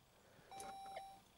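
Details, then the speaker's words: Saab 9-3 stereo after reseating the CD drive and rechecking connections in a ribbon-cable repair attempt: one brief mid-pitched chime in a quiet cabin that comes late on startup. Another unidentified issue is suspected, and the CD still misbehaves. "there it is okay so a little late okay so that's so there must be another issue going on"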